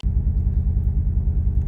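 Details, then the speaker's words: Nissan 180SX Type X (S13) SR20DET at idle: a deep, lumpy, stumbling beat with heavy shaking, like a lawn mower, from a suspected misfire. "listen to this this is shaking so bad the car literally sounds like a lawn mower"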